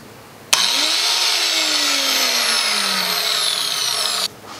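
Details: 20-year-old angle grinder after its failed switch was replaced and the brushes refitted: clean high whine spins up at switch-on and holds steady about four seconds, then stops; motor runs normally.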